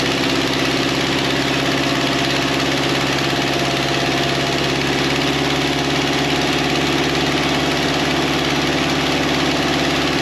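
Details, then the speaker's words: 1953 Ferguson TO20 antique tractor, first run after Marvel Schebler carburetor rebuild, throttle at about a quarter, fed from an auxiliary test tank: steady, even beat at a slightly fast idle, no misfires; drain plug leaked fuel after shutdown. "it ran really nice probably idling a bit too fast but i can work on that"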